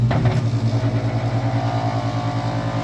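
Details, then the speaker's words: Master radiant heater, diesel smell suggesting the pump works: drones with a steady throb about two and a half times a second, changes if a hand is held over it; abnormal pulsing noise, cause not yet determined. "I don't know if I can get rid of that or not that's sound but let me figure out how to open this thing up"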